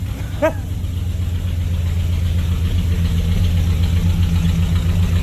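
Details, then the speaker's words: 1970 Chrysler Newport convertible V8, newly revived after sitting, cold weather around 20-something °F, idling: a deep, even, steady low rumble with no stumble or miss. Normal idle. "Right, I'm saying, is it easy though? It's idling nice."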